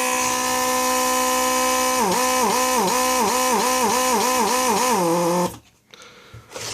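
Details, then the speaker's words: Mercedes 500SL (R129) early-style door lock pump, bench-tested after replacing the defective motor: steady electric buzz warbling about four times a second as pressure builds, then a clean cutoff by the membrane switch; pump operational. "oh I definitely know that this pump is going to work and that's all I wanted to show you just so this pump is operational"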